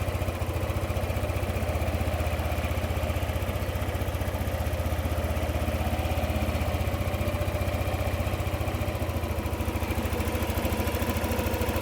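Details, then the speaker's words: Yamaha NMAX 155 V2 with hard starting and stalling, fitted with a new manual IAC; idle speed keeps drifting up and down instead of holding steady: hunting idle. "Kung mapapansin niyo parang wave nga 'yung idle tataas bababa tataas bababa kahit naka-manual IC na nga ito."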